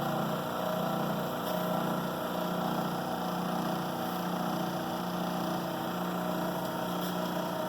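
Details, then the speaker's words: Rikon slow-speed bench grinder clamped to the workbench with F-clamps, side covers off, wheels diamond-dressed and running concentric yet still vibrating; steady motor hum with a slow throb about once a second from an out-of-balance grinding wheel. "I'll turn this on and see the vibration I've got a couple of F clamps to hold these down to the workbench otherwise it seems to vibrate Evette that's because it's got some rubber feet on there"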